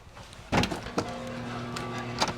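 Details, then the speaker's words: Home central A/C unit on a 102°F day, after lights dimmed and the breaker box buzzed: a steady low hum and buzz with a few knocks, but it never spins up. Owner suspects a bad starter. "It's trying. You can hear it buzzing. Great, we better shut that breaker off."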